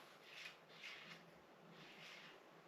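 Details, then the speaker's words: 1990 Raleigh Reynolds 501 hybrid trail bike: soft swishing rubs as the front wheel spins, the brake pad catching a buckled front rim that needs truing; there is also play in the fork. "on the front from where she needs a little buckle taken out."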